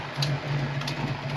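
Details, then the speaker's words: Ford Fox-body Mustang V8 with swapped MAF meters and an old computer, idling with a steady low rumble and faint puffing, ticking edge from an exhaust leak; idles well otherwise. "right, guys. I don't know, there is something, like minus the exhaust leak right there,"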